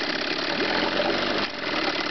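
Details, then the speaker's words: Chrysler 9.9hp two-stroke outboard running lean, idling rough with a stumbling lean misfire; remedy is backing the low-speed fuel mixture screw counterclockwise about a quarter turn, which reduces the misfire. "this is the misfire they do when they're lean how to remedy this be to try to back off the low speed fuel mixture counterclockwise about a quarter of a turn"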